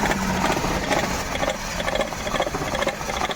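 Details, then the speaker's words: Maruti Suzuki WagonR petrol with check light on, loss of pickup and stalling: rough idle with an uneven, stumbling full misfire. "यहां पर गाड़ी start किया है check light भी आ रही है और बाहर दिखाता हूं देख सकते हो गाड़ी पूरी फुल मि फयर"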